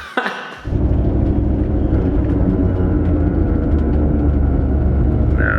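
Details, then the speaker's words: Re-geared Ford 8.8 solid rear axle in a 650 WHP big-turbo LS6 Volvo sleeper, while driving: deep road rumble with a steady whine from the rear on deceleration. The whine points to incorrect ring-and-pinion gear mesh, and a shop repair is needed. "definitely not not a good noise coming from back there it's on decell d cell is not not a good noise"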